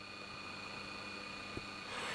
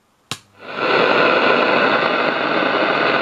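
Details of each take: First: Pye model 1113 vintage transistor radio switched on: very low volume with a faint steady hum, caused by the driver transistor shorted internally to its metal case and touching the chassis when the amp board was swung down. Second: Pye 1113 vintage radio after insulating the driver transistor from the chassis, which caused the hum: strong steady hiss at high volume with no crackle or cut-outs, plenty of volume, problem sorted.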